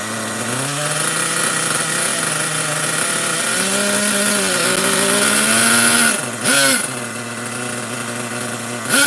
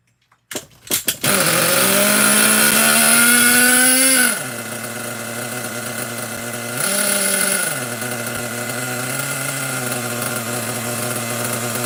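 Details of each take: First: Nitro RC truck engine bought used, carburetor likely still dirty, running: small engine buzzes with a high wavering whine that blips and dips; idle slightly too high, otherwise sounds acceptable. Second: Nitro RC truck engine bought used, carburetor likely still holding debris, run again to burn off fuel in the line: sharp buzzing note revs up then settles to a steady, even idle; engine runs cleanly.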